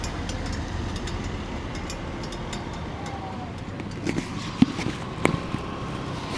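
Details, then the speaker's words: Royal Enfield Meteor 350 / Super Meteor 650 stopped after riding a few kilometres: scattered sharp metallic ticks from hot silencer and bend pipe as they cool; normal exhaust ticking. "क्योंकि बहुत annoying होता है जब आप गाड़ी रोकते हो और चट चट चट चट चट चट लगातार आती है।"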